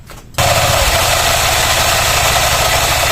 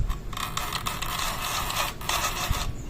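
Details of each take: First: Honda Click version 3 scooter idling after CVT cleaning; the CVT had become noisy at only 1,000 km. Squeak and scraping are gone, leaving light regular ticking, belt lightly greased. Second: Brand-new Honda Click version 3, CVT noisy since 1,000 km, cover open: front pulley turned by hand gives dry popcorn-like crackling and scraping as the belt pops against the pulley face.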